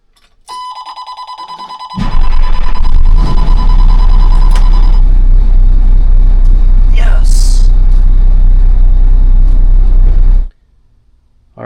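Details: 2004 Monaco Windsor diesel pusher, Cummins ISL 400 hp 8.9 L, after oil change and primary fuel filter replacement with air purged by priming: brief crank, clean catch, deep steady rumble with no stumble; normal start.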